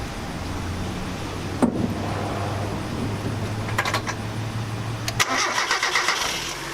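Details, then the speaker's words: Engine starts after 1–2 cranks and runs smooth and even at idle right after fuel pump replacement; pump not heard priming at key-on; normal start. "once I cranked it, it started right up, took maybe 1 or 2 turns before it started. Run as smooth as can be."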